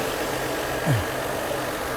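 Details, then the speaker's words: Mercedes W124 300E 24V after fuel distributor rebuild, six new injectors and spark plugs, engine test: smooth, even idle stable at about 900 to 950 rpm, steady low hum, no misses, knocks or hunting. "Next, let's check his current idle speed. The current idle speed is around 900. And it's very stable. It's about 900 to 950."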